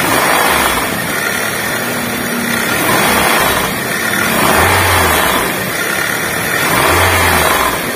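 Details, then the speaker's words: 2005 Honda Jazz VTEC that is noisy with the AC on: revved in repeated blips, a rough rattly noise swells with revs; the source is not yet pinned down. "Ada suara berisik yang bikin tidak nyaman untuk berkendara"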